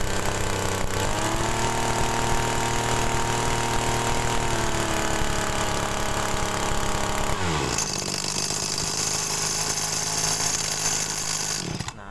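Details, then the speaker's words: TU26 two-stroke agricultural sprayer engine with a high-fuel-consumption complaint, after carburetor mixture adjustment at mid throttle: a crisp, steady buzz that holds even. The mixture is still slightly rich at mid RPM, which is acceptable, and the engine runs normally. "ini e kondisi campuran tengah ya campuran RPM tengah itu masih agak sedikit keborosan cuman itu enggak jadi masalah menurut saya Ya"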